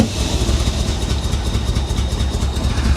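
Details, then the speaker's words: Corvette damaged in a Florida flood years ago: low, lumpy idle with an uneven beat and occasional stumbles, popping, tries to run better; misfire, suspected timing, fuel or swapped plug wires, unconfirmed. "yeah it sounds like a timing issue doesn't it I don't know could be fuel could be timing could be someone got the plug wires on wrong"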